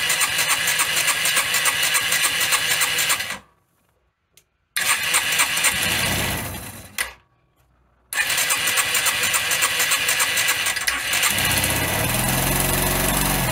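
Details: First start of an engine rebuilt after missing tensioners and snapped head bolts, with valve clearances set and the side plate off; a few cranking bursts, then it catches and settles to an even, steady idle, nothing knocking: normal start and idle.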